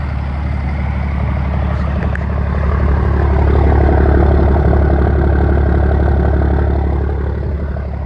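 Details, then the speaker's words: 1st Gen Dodge 12-valve Cummins diesel, 5-speed manual, just started after fitting a new exhaust tip: deep, steady, even rumble settling in, no misses or knocks; healthy idle. "Sounds good. Sounds really good."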